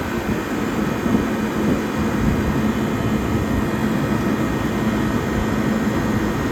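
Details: 1978 Comfort-Aire Quietmaster Heat Controller, first startup with a dirty condenser: steady even rush of fan air over a low compressor hum, no knocks; running hot on head pressure and discharge temperature, expected to improve after a thorough cleaning.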